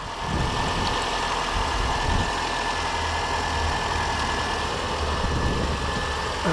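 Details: Mini One after PCV valve replacement, previously whistling on throttle snap: quiet, even idle with no whistle or hiss over the engine note; runs smoothly, wet belt may squeak.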